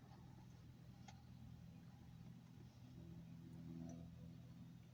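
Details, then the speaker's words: BMW 330d/330xd E46 diesel after fuel filter replacement, ignition on, engine off: steady low electric hum at one even pitch, in-tank fuel pump priming and filling the new filter, purging air; normal. "Le temps que ça se remplisse quoi. Là, de toute façon on entend la pompe."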